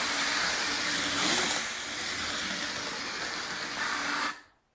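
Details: Lionel toy train armature motor after oiling the reservoir and armature shaft: whirs with an even, airy hiss and no squeal, then cuts off cleanly; the squeal came from a dry motor.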